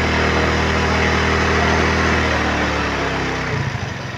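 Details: Euro Keewee 125 motorcycle, battery-operated CDI, regulator unplugged and running from battery charger: even single-cylinder idle thumping about four times a second, steady and smooth, loosening slightly at the end; idling normally.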